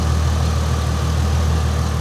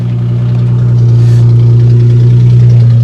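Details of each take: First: Red V6 Mustang idling: smooth, even low hum with no misses, knocks or ticks; the engine idles steadily and sounds healthy. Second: Car with 121,000 miles and an aftermarket exhaust, at idle: a very loud, deep, boomy droning rumble. No exhaust pipe is visible and mufflers are suspected missing, not confirmed.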